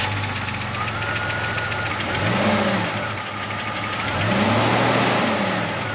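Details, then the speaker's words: Jeep XJ with running issues, fuel pressure test passed; just started and revving unevenly with a ragged stumbling beat, sounding like a misfire; suspected random misfire from coil pack, not confirmed. "i'm betting if we pull codes on it it's going to say random misfire and i'd almost guess your coil pack"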